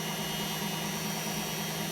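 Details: Hotpoint Aquarius WMA32 washing machine after repair (TRIACs replaced, damaged motor tacho cable soldered), heading for a 1200 spin: even, steady drum roar with smooth low hum, no knocking or thumping; normal high-speed spin.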